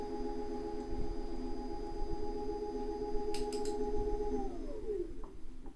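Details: Tacx Alpine trainer used in Zwift: a steady high-pitched ringing resonance holds for several seconds, then slides down in pitch as the lift unit moves; the unit also knocks when changing direction. Cause unknown.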